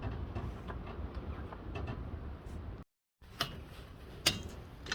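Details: VW 1.6 TDI diesel (Touran/Golf/Polo), low idle rumble with light uneven ticks about once a second from the front of the engine; worn accessory belt tensioner pulley.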